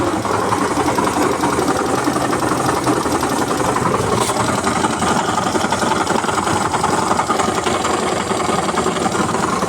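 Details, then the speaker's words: Hero Destiny 125 scooter idling after half-engine work fixed a no-start: fast, dry metallic rattle and rumble under the engine note, steady with idle; crankshaft main bearing noise, bearing to be replaced. "खोल के मैं जान रहा हूं इसका main bearing का आवाज है और मैं इसे फिट करके दिखाता हूं मेन बेरिंग चेंज करके कि आवाज फिर इसका किस तरह आ रहा है"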